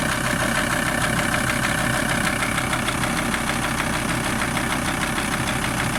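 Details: VW T4 TDI 150 diesel: steady idle with a loud, uneven clatter, roughly two knocks a second; engine knocking at idle whose source is not yet identified.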